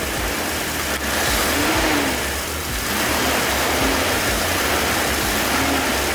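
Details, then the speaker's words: 2004/2005 Mitsubishi Pajero, started after a dead battery was replaced, gentle revs: engine picks up smoothly and evenly, settling back without stumble or misfire; normal revving. "That sounds like a a Pajarro that started to me. I think it's good."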